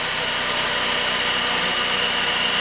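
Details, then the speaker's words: 2013 Ford Focus after fixing no-acceleration fault (codes P2122/P2127, P060D): steady idle with an even firing pulse, no misfire, over a constant hiss; engine runs cleanly. "no more misfire it sounds good yeah"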